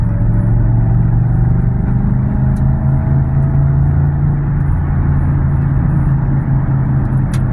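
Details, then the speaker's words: Cruising on the road with true dual exhaust and engine light on, engine earlier had a little tick: deep, steady, throatier-than-stock drone; owner attributes the loud exhaust rumble to an exhaust leak. "Now, if there was a way I can get him to sound like this, still have true duals and everything on here, then I'd probably do it, you know. Yeah. I love the way it sounds like this, I do."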